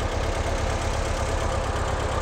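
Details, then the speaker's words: 1958 Porsche 356A with Zenith carburetors during carb tuning, idle lowered to about 900 rpm: low lumpy, slightly hunting idle; a little rough and unhappy that low, carburettors being balanced. "it seems to me like it's a little fussy to be honest"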